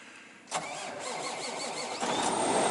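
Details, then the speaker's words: Cold start of Ford Expedition after sitting about 9 hours unplugged at -2°F in snow: starter chugs briefly at an even pace, engine catches cleanly and settles into a smooth idle; normal cold start. "It's been sitting for about 9 hours, not running, not plugged in. I want to see how Big Blue does in the cold weather. So I'm going to fire it up."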